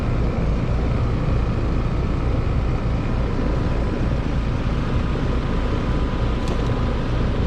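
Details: Heat pump outdoor unit, fan disconnected, defrost cycling okay, head pressure seemed normal; compressor draws about 10.3 A (11.5 A total). Heavy steady low rumble with a coarse rough edge. Compressor is the loud noise, judged about to fail and needing replacement.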